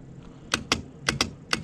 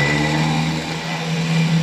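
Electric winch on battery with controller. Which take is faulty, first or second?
first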